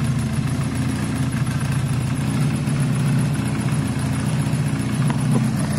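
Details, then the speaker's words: SYM XS 125 single-cylinder, warm idle without choke after fitting a new up-jetted carb in place of a gummed-up one; steady low thump with crisp exhaust pops; idles clean and healthy, slight smoke from exhaust wrap burning in. "it's warm it's not using any choke it sounds as great as it's ever going to sound guys"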